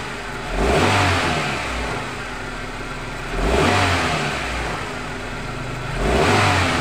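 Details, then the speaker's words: 1997 Suzuki Baleno after repairing leaking plug wires and cylinder-one injector: three quick throttle blips, engine climbs cleanly without stumbling and settles to a steady, calm idle. "sudah langsung lama ya langsung mau dapat naik seperti tadi ya kencang-bincang juga gendang Nah jadi permasalahannya di bagian kabel busi dan orange injektor yang bocor di bagian nomor satu"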